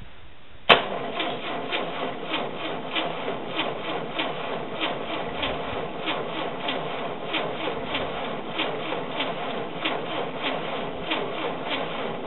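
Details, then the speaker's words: Rebuilt air-cooled VW flat-four on a stand, ignition coil disconnected, cranking to check oil pressure: steady even cranking with regular compression pulses and no firing. "the ignition coil is not hooked up right now I don't want to start it I just want to make sure I got oil pressure"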